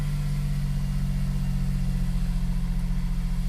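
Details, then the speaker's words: Smart Fortwo W450 0.7, first start after sitting a very long time, mic clipping: low idle with an uneven pulsing beat about four times a second, lumpy and unsettled; rough running, cause unconfirmed. "didn't sound too great to start with to be fair I apologize if the microphone's clipping like I say this car hasn't been started for a very long time now so that doesn't surprise me that it sounds like that"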